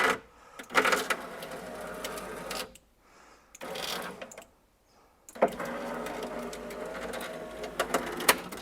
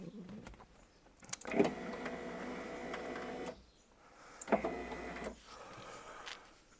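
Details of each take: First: 1999 Porsche Boxster 986 driver-side window: motor whirs in uneven bursts with rough crunchy scraping as the glass drops; worn window regulator with kinked cable, also failing door-handle window drop, replaced reusing motor. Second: 1999 Porsche Boxster 986, driver's-side window after replacing the crunchy regulator (original motor reused): two smooth, even motor runs of one to two seconds as the glass lowers, light clicks at start and stop; window operates normally.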